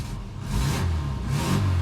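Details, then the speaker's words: Barn-find Austin Maestro, first run off its own fuel tank, choke pushed in: low, lumpy idle that wavers and surges, close to stalling; running rough with idle speed too low, needs tuning. "But it's running a little bit rough and the idle's probably a little bit too low."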